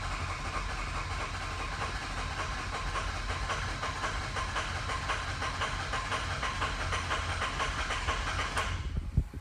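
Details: 2007 Ford E350 van, 6.0L diesel that runs, stumbles, stalls and struggles to restart, seen dropping cylinders: clatters at a steady roar about nine seconds then suddenly dies; cause unconfirmed.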